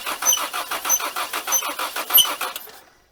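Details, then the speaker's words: 1980 Dodge Colt Challenger (Mitsubishi Galant Lambda) while cranking: sharp high squeak on every crank stroke, about every 0.6 seconds; owner points to the number two exhaust valve, cause unconfirmed. "unfortunately I figured out what that squeaking noise was so pay attention to the number two exhaust Val whenever I actually crank this"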